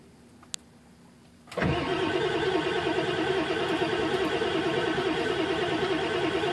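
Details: Ford OBS 7.3 diesel cranking: starter spins the engine steadily at an even beat for several seconds, but it never catches or fires; crank no start.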